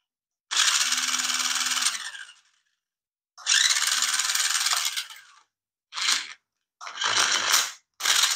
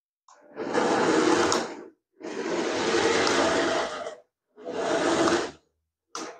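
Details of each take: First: Nikko 9045 RC Teenage Mutant Ninja Turtle Party Van (2.4GHz), previously taken apart: short bursts of high, raspy whirring with a gritty grind underneath; the gearbox doesn't sound right, possibly something slipping or loose, not confirmed. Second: Nikko 9045 RC Teenage Mutant Ninja Turtle Party Van, a charity shop find, 2.4 GHz, tested with its matching controller after resoldering a joint. Four short bursts of even whirring, forwards then backwards, with smooth motor pitch and no gear clicking. Normal gearbox running.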